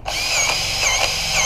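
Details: Grease gun servicing a Bobcat T590 with about 20 hours: steady high-pitched motor whirr with no bogging or strain; the gun pumps evenly and the fitting is taking grease fine.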